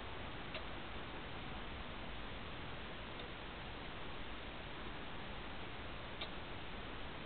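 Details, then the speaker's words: Edgewater spa control panel with the temperature set and power on: pressing the pump or light button gives only single dry clicks about three seconds apart over a faint hiss; the relay clicks but the pump never starts. "the temperature is set, plugged in, everything is working operational, and you go to push this button here and all you get is a clicking noise."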